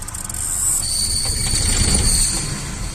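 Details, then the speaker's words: Clutch noise: starting is slow and heavy, then a thin, high-pitched whine rises over the running engine once the clutch pedal goes down; likely a worn clutch release bearing, later removed. "se puso medio lento el arranque también no pesado y al parecer es un rodamiento desplazador el rodamiento desplazador que está con el problema"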